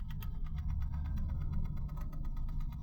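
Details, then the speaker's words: VW Gol 1.6 that stalled over a bump and won't start, no ECU communication with the scanner: engine off, quick regular ticking over a low hum with occasional strange knocks from the electronic throttle body, caused by low supply voltage. "Está emitiendo ese sonido y cada tanto hace unos golpeteos bastante extraños, así que tenemos que estar revisando esto, a ver qué es lo que está pasando acá."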